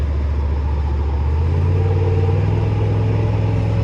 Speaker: It's running damn smooth. It's running a lot smoother, man. I must say, it's running a lot smoother. I don't hear that little faint mist that I was hearing.